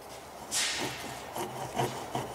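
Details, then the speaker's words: Hustler Z mower, 72-inch XR7 deck idler pulley spun by hand: gritty rasping that swells and fades, bearing with play is definitely bad; another idler bearing iffy. "hear that so if I spin that so this one's definitely bad so we've so far we've found two bearings one's a little iffy and this one we know is bad"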